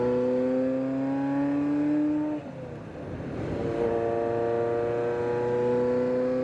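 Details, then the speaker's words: Ferrari F40 with a completely different (non-standard) exhaust, run after winter storage to prepare for delivery: deep steady V8 drone with a brief dip in revs, then settles smooth and even; healthy engine, loud exhaust, normal running. "press the magic button and you can already hear this this one's a lot different it's got a completely different exhaust on it"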